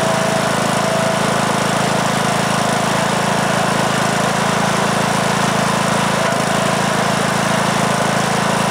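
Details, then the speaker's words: 2003 Simplicity Regent lawn tractor, Briggs & Stratton single-cylinder engine (date code 03, 19 years old) after years unused in a shed; first start after repair: loud steady chug, starts very easily, runs okay but blowing a lot of smoke. "well that's interesting all right so it it starts very easily and runs okay"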